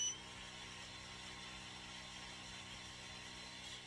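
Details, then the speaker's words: Creality Falcon 2 22 W laser engraver/cutter, new out of the box, just powered on: air pump starts with a quiet, steady hum and hiss, not crazy noisy, all three lights green; pump running normally. "pump started up it's not crazy noisy I got a green light up top all my three lights are uh green"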